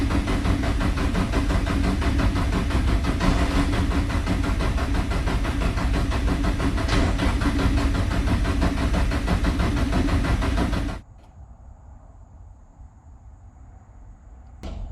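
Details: Nissan S14 240SX SR20 turbo, unstarted for over a week, cranked to build oil pressure before starting: steady even starter churn about three beats a second for eleven seconds; reached about 6 psi oil pressure.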